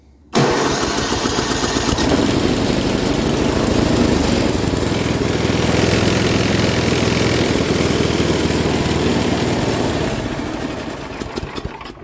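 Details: Free Craftsman 10/30 snowblower, 10 hp Tecumseh engine, being scrapped: quick catch then steady even single-cylinder putter at fast idle, holding smooth until it winds down; healthy running.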